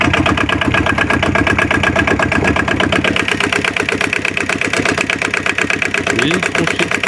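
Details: Aixam microcar, diesel, after replacing the gearbox-side variator with an aftermarket part and a new throttle cable: steady even idle chatter with no metallic rattle; the earlier scrap-metal noise came from the variator, not the CV joints.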